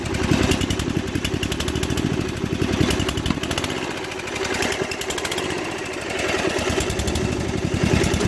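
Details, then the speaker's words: 2001 Murray Select LT riding mower at high throttle: smokes heavily, runs rough and surges, then stalls; carburetor float needle stuck open from ethanol buildup flooded the crankcase with fuel, diluting the oil; fixed by oil change and carburetor cleaning. "starts but then smokes a ton you know oil smoke and then after it runs for a bit with smoke it quits"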